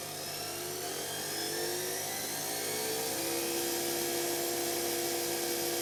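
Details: Electra ELEC1647A3 washing machine motor dying, ~10 wash cycles after new carbon brushes: high whine climbing with speed over rough gritty hiss; damaged worn commutator wearing brushes, needs new motor.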